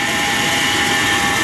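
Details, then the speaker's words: 1995 Chevrolet Silverado 1500 4x4 at idle during an inspection: a steady hiss-like rush with two fixed whining tones from the AC compressor pulley area; inspector suspects the compressor is running dry and needs lubrication. "bruit provient, c'est le compresseur. Donc euh ouais, il a peut-être il a certainement besoin de lubrification."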